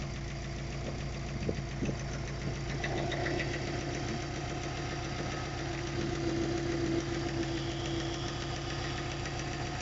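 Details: Subaru Forester SF5 at warm idle before repair: quick, regular light knock about three to four times a second from the pulley side, with rough running after hard 0–150 km/h acceleration; the owner suspects the timing belt hydraulic tensioner.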